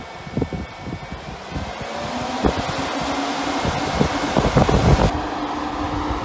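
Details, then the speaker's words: UTV cab cooling fan on a PWM speed controller turned up to high: steady rushing airflow with even hum rising with speed, no rattle or grind; normal fan operation at high speed. "i mean it's really really putting out the air"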